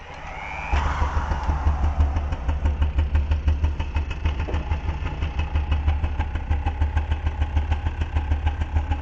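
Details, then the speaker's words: Rebuilt MBK/Motobécane AV10 two-stroke moped engine (new top end, ignition, temporary carburetor) on a bench, drill-started: crisp even popping settles into a steady fast idle; runs well, with bench/jack-stand vibration noise. "There. You see, it's running quite well, eh. It's the vibrations of the jack stand on the workbench."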